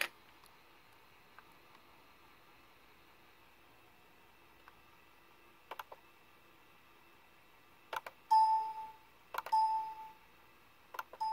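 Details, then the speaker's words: Compaq Presario CQ60 laptop speaker playing four clean, bright chimes with no crackle or clicking after fixing a short in the speaker wires, even when pressing on the speaker. "yeah now the speaker works and no more that uh clicking if we push on the speaker nothing"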